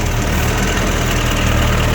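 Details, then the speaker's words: Komatsu FD18L diesel forklift after an oil line leak repair: steady, busy idle holding a little fast with even firing and no knock; engine healthy but idle set slightly high, to be turned down. "สุขภาพเครื่องเขาก็โอเคนะรู้สึกว่าเขาจะเร่งเกินโควต้านิดหน่อยเดี๋ยวเราดูว่าทำยังไงถึงเขาจะเบากว่านี้ได้นะ"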